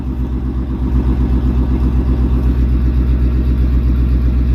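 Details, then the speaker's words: 1999 Chevy K1500 Suburban, 5.7 350 Vortec with prior rod knock, new rod bearings fitted and oil changed, catalytic converters stolen so loud, 50 psi oil pressure at idle: steady even idle, deep exhaust pulse, no bottom-end knock. "Somebody stole the cats off this thing, so it's a little loud. I can't believe that worked. Fresh rebuilt 350 Vortec."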